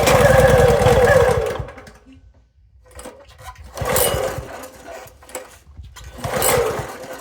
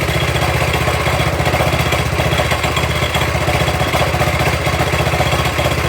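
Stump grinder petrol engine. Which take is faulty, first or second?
first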